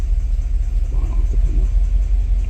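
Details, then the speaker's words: 2017 Cadillac Escalade gasoline, 126,000 km, first start after engine reassembly: a lumpy idle with stumbles and the misfire now on cylinder 1. A faulty spark plug was diagnosed, and replacing all plugs cleared the misfires. "1번 쪽으로 실화가 옮겨갔기 때문에 요거는 플러그 분량이라고 판단하고요 플러그를 싹 교체를 하도록 하겠습니다"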